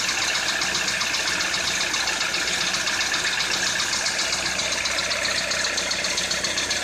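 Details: Citroën C4 2013 at warm idle: an even ticking knock of roughly four beats a second over a hissy engine note; engine knock, cause not pinned down.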